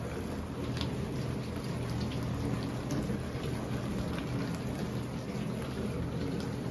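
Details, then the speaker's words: Whirlpool dishwasher that was not spraying and made a funny noise, tested after the repair with all connections hooked back up. Steady rushing water hiss over a low pump hum, even and unbroken. Now spraying normally. "you hear that that's the sound of success and that's how you fixed a WHL pool dishwasher that is not"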